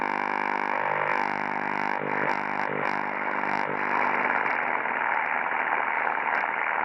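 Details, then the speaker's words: 1944 wartime civilian valve radio after all capacitors replaced, with a replacement for the intermittent rectifier valve: at full volume a constant harsh buzz persists with no station received; source of the buzz not found. "now can you hear that let's give her full [Music] juice [Music] but that buzz is [Applause] there"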